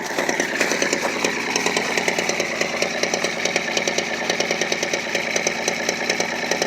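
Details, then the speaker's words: Straight-six 4WD pickup with dual exhaust, cold idle at 23°F; one exhaust side (three cylinders) puffs unevenly with skipping beats, a misfire present since purchase; the engine has an oil leak and a tick. "What's wrong with that? There's a misfire. It's always been that way since I got it."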